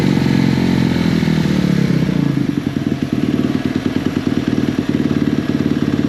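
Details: 2017 KX250F single-cylinder four-stroke after fixing a fuel pump issue: quick, even thump after a rough start, firing steadily now fuel delivery is restored; running normally.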